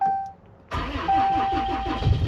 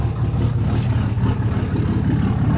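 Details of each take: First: 4th-gen Ram Longhorn Cummins diesel cold start with a weak battery, completely dead the night before and showing about 11 volts: starter turns over in a few sluggish, labored beats before the engine catches; slow cranking from weak battery. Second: Fourth-gen Ram Longhorn Cummins diesel pickup, 187,000 miles, cold start on a nearly dead battery (11 volts, cranked slowly): it starts and settles into a deep, steady rumble of about three beats a second with no stumbling. Normal idle, now charging.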